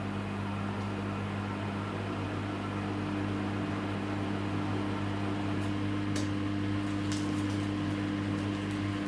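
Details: Samsung WW10N645RBW washing machine after adjusting the legs for stability: even steady hum at constant spin pitch, no shaking, thumping or rocking; rated 73 dB spinning; stable, normal spin.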